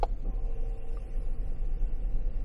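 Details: GM truck under scan-tool bidirectional actuation test: a single sharp click over a low idle rumble as the AC compressor clutch is commanded on and pulls in, then it runs on evenly.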